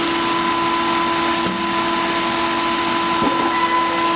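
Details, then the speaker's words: Pool pump at a 1970s East Dallas home during inspection, not self-priming: steady fixed-tone motor hum with a light watery hiss and no catch yet. Pump running while still trying to prime. "i'm going to come over here because our pool is not self-priming how about that"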